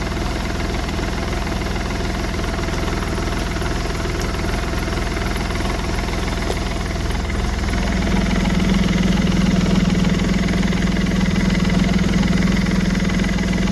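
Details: Smart Fortwo 450 CDI 0.8 l diesel just after turbo cartridge replacement with three turns of preload: even diesel clatter at idle, about three and a half beats a second, smooth, no grinding or shrieking turbo; turbo spinning, normal idle.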